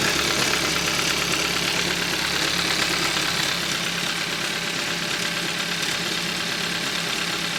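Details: 2013 Hyundai Accent 1.6L, knock quiet cold and appearing once warm; steady knock about four taps a second over a bright hiss at warm idle, owner suspects rod bearing or timing chain, unconfirmed.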